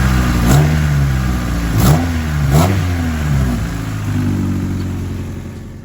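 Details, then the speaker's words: Honda D16Y7 stock intake before short ram intake install, recorded for before/after sound comparison; several quick blips, pitch rising and falling cleanly with throttle, no rattles or misfires; healthy engine revving freely. "So I just recorded that sound clip so you can hear it before. Because one of the things about installing an intake, short ram or cold air, one of the things that people love the most is the sound."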